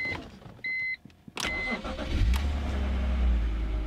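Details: BMW E46 3-Series after fuel pump replacement, key cycled several times to prime the fuel system: key-on chimes, a brief crank, then the engine catches quickly and settles into a steady, even idle; normal engine start.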